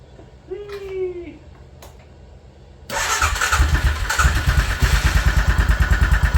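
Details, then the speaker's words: Suzuki Vinson 500 quad, single cylinder, coolant blown out of the cylinder and initially would not crank: cranks and catches, then settles into a lumpy, thumping rough idle; owner suspects a knock from coolant in the cylinder, head may need removal. "I think it's got a knock wouldn't be surprised cuz it's got Cooling in it"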